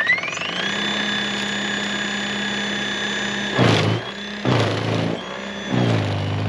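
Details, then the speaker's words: Greenworks 80V battery snowblower on first use in powder snow: steady high electric whine with brief surges as snow feeds through, no strain or grinding; normal running under load. "let's put this guy to work. I'm gonna set a timer, and we're just going to go nonstop to see how long the battery lasts."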